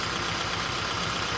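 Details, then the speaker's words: 2011 Kia Soul coil-on-plug engine, blinking check engine light, misfire; uneven, lumpy idle with regular stumble and engine shake, number four cylinder misfiring from a dead coil verified with spark tester; worn wide-gapped spark plugs blamed. "we verified beyond any doubt that our coil that was on one before that this number two coil is dead because you see the engine shaken so number four is misfiring"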